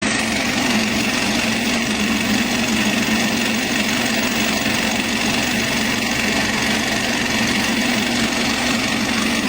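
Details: BMW B48 engine at steady idle with a constant gritty whirring rattle from a worn intermediate gear (crankshaft drive mass compensator, part 11 27 8 570 744).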